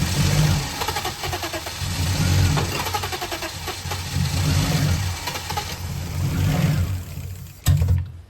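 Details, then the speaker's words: BMW E34 that sat 15 years outside, run before replacing the fuel pump, on brake cleaner sprayed into the intake. Rough, uneven firing with a lumpy low thrum that surges and sags, then cuts out; the engine runs only on starting spray. "So before I replace the fuel pump and do a full service, I wanted to check if the engine even runs. So I sprayed some brake cleaner into the intake and luckily it fired right"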